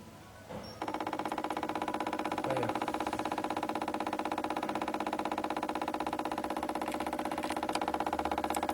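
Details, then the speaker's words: 2012 Chevrolet Spin, owner reports a loose, tinny rattle from the engine: engine off, the canister purge solenoid is driven by a scan tool and clicks crisply and evenly about four times a second, also heard inside the car. Canister purge solenoid clicking. "Esse barulho aí que a gente tá ouvindo lá dentro do carro. Vocês estão vendo? Olha aí. Esse cara aqui que tá fazendo esse barulho."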